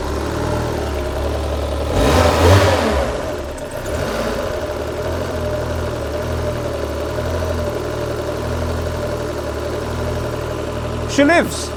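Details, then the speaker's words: Citroen BX 16V after fix: catches on first crank, short rev blip, then steady even idle without stumbling; was previously overfueling, fueling still to be readjusted. "That's running a lot better."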